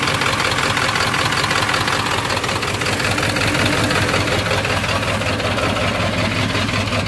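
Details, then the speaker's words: 1997 Ford F250 HD 7.3 diesel after glow plug replacement, new valve cover gasket and two spliced injector connectors: rough lumpy idle, uneven thump about three times a second, truck shaking; injector misfire from bent connector pin, cylinders 1 and 3. "still shaking like crazy even after I put the new gasket in"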